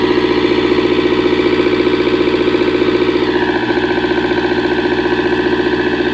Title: Hard Start Komatsu Engine Lose Compression